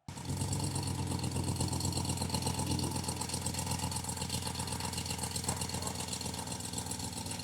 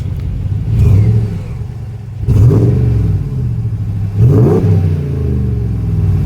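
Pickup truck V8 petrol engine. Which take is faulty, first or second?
first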